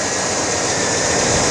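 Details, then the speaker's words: 1989 Chevy K1500 running after the alternator swap: a steady, even engine sound with a smooth airy hiss and no jet-like whine on top. The replacement alternator sounds healthy and the repair was a success. "how that's that's the way an alternator is supposed to sound all right so that was a resounding success"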